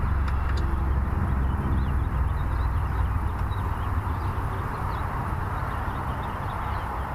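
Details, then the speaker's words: Car, likely the Chevelle, that quit: low uneven starter churning about four beats a second with no firing. There is no spark; the battery drops to 10 V cranking with only 3–4 V further along, traced to a blown fuse. "Having all kinds of issues here. What the hell's going on? No sparkage."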